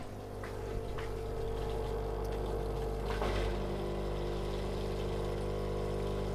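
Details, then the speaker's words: Indesit washing machine drain pump that stopped draining, leaving drum full of water, damaged by coins and tokens found inside; steady droning pump hum with faint rough rattle while draining; damaged drain pump from debris. "donc la bombe où j'ai mis un petit saut pour équiper la flotte et entendant le petit bruit de la pompe défectueuse"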